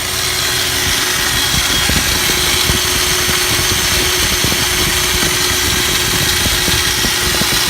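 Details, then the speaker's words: Vehicle just converted from an electric to a mechanical fuel pump and regulator, running with starting fluid: coarse gravelly grind, faint constant whine, scattered clicks; new noise, cause unknown, owner suspects the starter. "But it sounds absolutely terrible. It wasn't making that noise before. It sounds like gravel or something."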